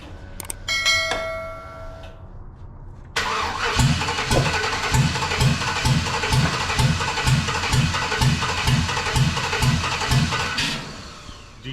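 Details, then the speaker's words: 1948 Dodge truck with LS swap: starter spins with rhythmic chug about two beats per second plus pops, never catching despite fuel and spark present; cause unknown, owner wonders about timing. "do you know why it's it's doing this I am scratching my head it's got It's got fuel it's got spark is it timing"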